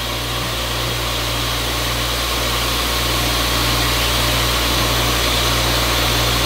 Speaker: it's spinning the right way the first time yay and it works this is going to be good sounds good doesn't it